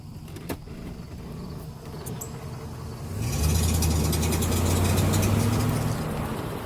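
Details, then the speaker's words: GMC Envoy XUV, repaired front end with old driver-side ball joint: quiet cruise, then quick steady tapping about four a second while accelerating; shops couldn't identify it, driveline play suspected, not confirmed. "Let me accelerate so you can hear. Nothing. Now here's where you get the tapping. Let me know if you hear this."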